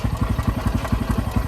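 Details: Bajaj Pulsar NS motorcycle: steady idle with hard, even pulses about ten a second and a rough knocking edge; engine noise problem, cause unclear.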